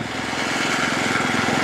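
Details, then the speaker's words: Reel mower, engine steady with fast even clacking of reel against bed knife each pass; owner suspects rocks picked up nicked the bed knife or a blade, to be filed out. "I don't know if you can hear my reel and bed knife clacking together, but when I was mowing the backyard at 5 millimeters, because I never mow it that low, I got a couple rocks."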